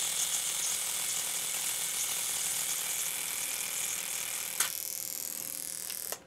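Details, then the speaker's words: Fuel injector on a home bench test kit, automotive or marine, not fully pressurized. Fast, even ticking about three per second under a steady hiss of spray while the injector is cleaned. Normal injector pulsing, working. "I don't think I fully pressurized it you get the gist of it the injector is getting cleaned and is working"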